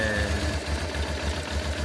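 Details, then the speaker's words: 1996 Honda Transalp (owner thinks a 96) before carburetor adjustment: low idle throb pulses unevenly and labours with no steady beat, unstable on the gauge; air-fuel mixture screw out of adjustment. "I think it's a 96 model, and as you see from the gauge or even from the sound of the engine, the working idle is very unstable."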